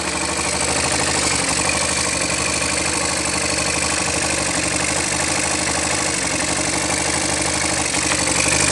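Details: Yamaha SZ 150 that stayed noisy after a timing chain and tensioner replacement, idling after the broken compression release was removed and its weight stopped: a steady, even single-cylinder idle with a smooth quick patter and no clatter. It sounds healthy.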